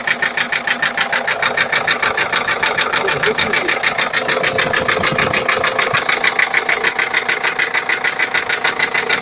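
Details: 2004 Ford Transit 2.4 TDI diesel at idle with an unidentified knock: steady, sharp knock about three times a second, even in rhythm. Source not yet identified.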